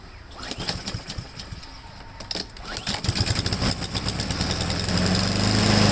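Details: Husqvarna mower, previously hunting and surging, after cleaning a clogged main jet and refilling with fresh gas plus Seafoam: a few pull-start rattles, then it catches and builds to a steady, even run without coughing or surging. Normal running.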